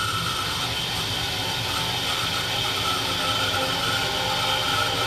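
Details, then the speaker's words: Ducane gas furnace after removing a bird that stopped it: steady even whirring hum with faint high whine, no knocking or rattling as thermostat calls for heat; inducer fan working normally. "turn my switch back on I already got the temperature set upstairs let's see if it cut on all Fan's working like it's supposed"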